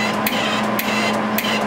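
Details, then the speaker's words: MIG welder wire feeder with too little drive roll tension: steady motor whir with a tick about every half second as the rolls spin without gripping; wire feed drive roll slipping. "it's kind of going but it's kind of slippy see that it's slippy that's telling me right off the bat I don't have nearly enough tension"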